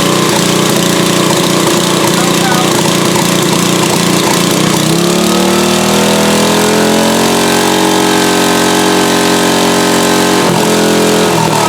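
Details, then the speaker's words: Late-1990s Briggs & Stratton GenPower 10 HP generator revived after cleaning and fuel pump work: cranks, catches and climbs to a steady single-cylinder drone, running cleanly but engine speed needs adjusting. "When I first started up, because it doesn't have enough RPMs, it will make 0 electricity. So it has to spin up to a certain speed before it can even energize the field coils to start making any electricity at all."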